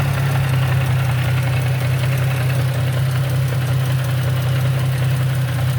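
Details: Nissan G35 coupe with 6-speed manual at idle in neutral: low, uneven knocking of almost two beats a second beneath a deep hum; goes away in gear, worse with windows fully up; cause unknown.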